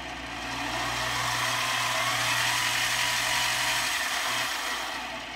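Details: Harbor Freight mini lathe, about 20 to 25 years old with all-metal gears, running at the 2900 RPM setting after a 3D-printed replacement control knob was fitted: even, steady motor whir with a smooth hiss, no knocks or grinding, healthy.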